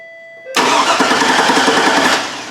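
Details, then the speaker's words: GMC Yukon Denali after a salvage-yard PCM replacement. The injector has power, but while the engine cranks evenly for about two seconds there is no injector pulse and it never catches. Crank, no start. "we got nothing folks we got nothing we got no injector pulse oh boy what's that mean that means it's not gonna start"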